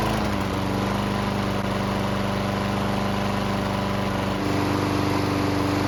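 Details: Bolens mower after fixing its no-start problem: steady even buzz with firm low beat, pitch rising slightly after four seconds, engine running clean and smooth.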